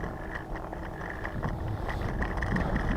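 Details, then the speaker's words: Scooter on first ride after suspension install: uneven light clicks, about three a second, over road rumble; the new fender, held by only two bolts, wobbles and rattles. "that is the new fender that they oh that's what it is it's the fender rattling"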